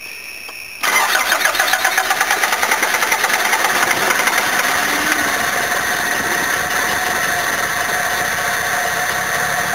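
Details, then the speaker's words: Long crank that catches into a rough, uneven run and slowly steadies, from a carbureted van that stalled and wouldn't restart, smelling of fuel with petrol in the oil and fuel in the exhaust; badly flooded engine. "let's try again now stuff's being moved it's one hell of a flooded engine hope it doesn't go bang when it starts the amount of fuel in the exhaust"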